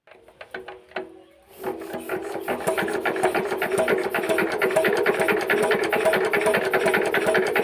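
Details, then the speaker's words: Injector nozzle from a long-sitting Z170F 4 hp Chinese diesel under full restoration, being adjusted on the bench: sharp rasping bursts about two and a half per second, crisp chatter; sound and spray now set correctly, normal. "তো finally বন্ধু আমরা এটা নজেলের sound এবং spray সঠিক করে নিলাম।"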